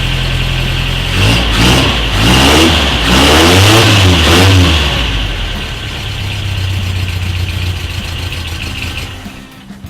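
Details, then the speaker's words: Toyota truck after new timing set, timing cover and head reinstalled; earlier running issues blamed on a Mr. Gasket fuel regulator: catches, several quick revs, then steady even idle, no knocks or misses; runs healthy. "I just want to hear it run across the fingers all right an idol it idols good holy crab look at that"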